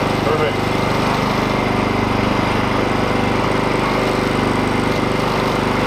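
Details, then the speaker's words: Honda EU2000 generator after fixing rough idle by clearing the carburetor idle jet fuel port: steady, even hum with constant beat, no hunting or surging; normal idle. "Running nice and smooth."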